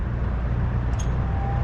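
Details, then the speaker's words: Oiled and cleaned metal-blade box fan, formerly stuck, started on low then medium after the furnace shut off: steady low hum, no ticking, scraping or wobble; running smoothly. "So I'll just start it up on low, and then for my fan gurus that like to hear them start up, I'll start it on low."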